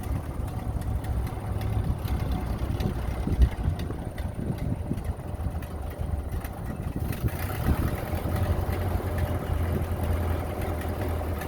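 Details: 1930 Ford Model A barn find, first run in 40+ years after a head gasket replacement, a new wiring harness and a cleaned, sludge-filled oil pan: a low, steady four-cylinder chug at an even idle; running well.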